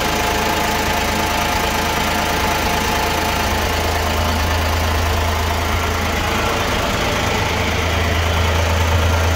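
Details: 1970 Massey Ferguson 135 with Perkins three-cylinder gas engine, new plugs, wires, condenser and points, idling with a deep, uneven lope, a cylinder missing now and then; misfire cause unknown.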